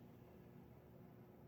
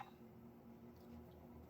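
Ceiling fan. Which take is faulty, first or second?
first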